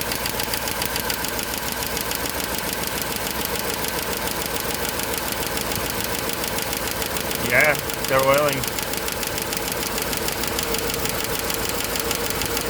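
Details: GM 5.3 L V8 with AFM after replacing lifters, rocker and pushrod: fast busy ticking at idle, louder than normal lifter noise; cylinder 6 rocker arm loose with excessive play from collapsed rocker.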